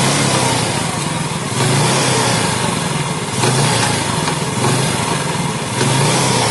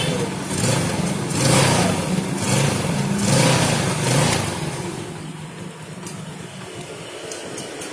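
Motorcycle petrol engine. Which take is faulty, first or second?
first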